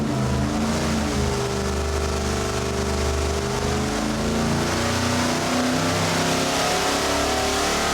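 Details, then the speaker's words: 410ci stroker small-block Ford Windsor, forged rotating assembly, ported heads, custom EFI (Terminator X) and coil-near-plug conversion, on dyno: strong, even V8 roar steady under full load, no misses or knocks; 434 hp, 463 lb-ft, AFRs on target. "Let's see what 410 inches of Windsor sounds like with Coil-Near-Plug."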